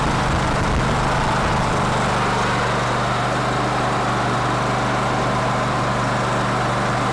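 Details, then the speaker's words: Cub Cadet LT1046 riding mower, formerly running rough, after carburetor cleaning (old, bad gas suspected): steady, even idle with no stumbles or surging; runs smoothly now. "okay so yeah old nasty gas will do lots of bad stuff for you apparently well that gas really shouldn't have been that old or not nasty but anyway it appears to be in better shape now"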